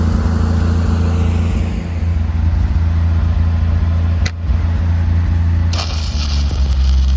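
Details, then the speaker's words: Lincoln SAE 300 welder with Chevy inline-six engine after ignition circuit repair: steady low drone holding speed under welding load, with welding crackle and sizzle; engine runs strong, welds well and idles down smoothly. "I'm really happy that I was able to get it running and Welding it's welding really good and it actually idled down to a pretty smooth idle so perfect running great"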